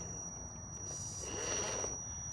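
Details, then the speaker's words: RC crawler with Holmes BRXL brushed ESC, front overdrive not fitted, crawling on rocks: thin steady high-pitched whine over quiet low crawling noise, normal ESC drive noise. "Now the noise you're hearing is from the Holmes BRXL ESC."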